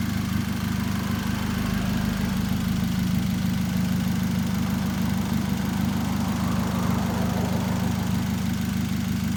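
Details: 2013 Chevrolet Spark idling with a steady, even low hum and no stumbles after new spark plugs fixed a misfire error; high-tension wires still to be changed.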